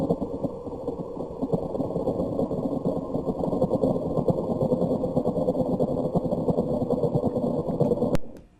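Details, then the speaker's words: Spindle coming up to speed: uneven rumbling thump about three times a second, then cuts off; spade and pod insert tolerances combined out of specification let it flop, unlike a normal spindle spin-up. "okay so that's not what a normal spindle coming up to speed is supposed to sound like so again it's not just one tolerance it's the tolerance of the Spade combined with the tolerance of the insert that it's fitting into that's out of specification"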